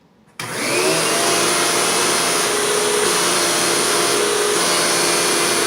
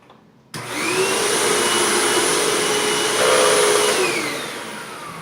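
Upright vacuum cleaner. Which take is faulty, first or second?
first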